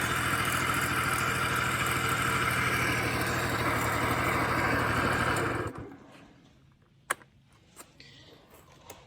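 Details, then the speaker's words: Honda Spree two-stroke scooter (1986 frame, 1985 motor, 1987 head) after swapping the plugged muffler for a known good one, known good carb. Crisp, even buzz held steady for several seconds, then shut off cleanly; runs healthy. "put a known good muffler on there known good carb and everything's back working again"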